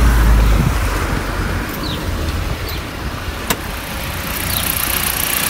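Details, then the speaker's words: Fiat Freemont 2.4 petrol, started cold with the air conditioning still off: low, even idle hum with no belt squeal or chirp. The belt noise had been blamed on the AC compressor, but the compressor was not the cause. Normal idle. "galerinha aí ó tá silencioso galera dentro dentro de novo só que eu furei não Liguei o ar condicionado ainda"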